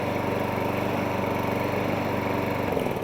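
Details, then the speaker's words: 1.8 Harrier 41 auto drive electric start lawnmower, in only for a pull cord repair, running at a steady even beat and easing down near the end; stops and starts as it should, normal running. "Machine stops and starts as it should do."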